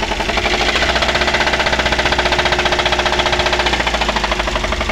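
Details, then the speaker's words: Daihatsu Gran Max before repair, running rough and misfiring with no power, being revved. Loud, heavy metallic knocking about three per second, as if something in the engine is about to break: connecting rod knock. "suaranya seperti itu ya teman-teman seperti E mau pecah di bagian mesin ya"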